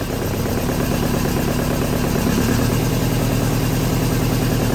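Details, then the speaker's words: 1983 Volvo 242, manual, B23 engine, revived from the woods, converted from EFI to carburettors, 12 V confirmed at coil: uneven stumbling idle with irregular pops, never settles; owner thinks ignition timing is far off, doubts lean backfire. "Seems like it has no timing. Try it again. Try it again. And it could just be, I have a hard time believing it's lean backfiring when it's got fuel coming out of the throat."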